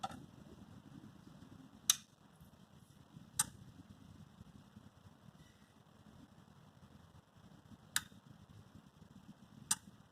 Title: Cooler Master V650 ruido constante luego del apagado (Constant clicking Sound after shut down)